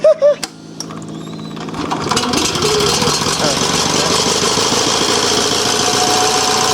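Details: Onan 305 CCK 3500-watt yard-sale generator, warming up after revival: engine catches and settles into an uneven, lumpy beat around 160 a minute, pulsing rather than steady; running rough, cause not confirmed.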